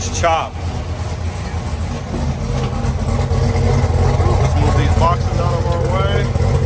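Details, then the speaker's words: 2018 Camaro ZL1 first start after new camshaft and Katech oil pump: uneven loping idle with steady rolling chop from the cam, no knocks or ticks, good oil pressure, no leaks; healthy. "Got good oil pressure. Got no leaks underneath. That's all just old stuff that was already there. Nice and quiet. It's alive."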